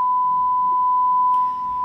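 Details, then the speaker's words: Vizio SB 300 series sound bar after replacing a faulty whining inductor, fed a 1 kHz function-generator signal, amplitude raised to 0.5 V: clean steady high tone, louder, with no crackle, buzz or dropouts; plays back normally. "let's put a by default one kilohertz signal in here as you can hear and uh gonna have a little bit of fun here to test in this baby so let's change the amplitude to be a half a volt I mean obviously you can hear that it's much louder"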